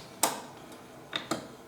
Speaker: it's actually put down in exactly the right place and I can hear that playing from the noise you know with the stylus